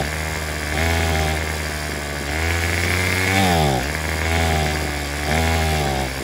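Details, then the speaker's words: Craftsman WS210 weed eater after carburetor replacement, with the old primer bulb and diaphragm moved onto the new carb: revs climb and sag every second or two with a buzzy, uneven note, never settling at idle or reaching full throttle. Cause unknown. "we've got the weed eater running except it won't throttle all the way up so I'm not sure what's going on with that thank you uh so now it won't idle and it won't go full"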